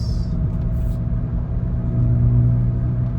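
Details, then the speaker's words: High-mileage Honda Pilot on the road at about 40 mph: a deep steady hum and rumble under road noise, louder when steering right, from the front right wheel bearing whose grease had dried up; the bearing was replaced. Finding: worn wheel bearing hum. "sounds like a wheel bearing noise yep so if I move it to the right yep I could feel it this might be a whe bearing problem and it really shows up like once it reaches like around 40 miles 40 m hour speed"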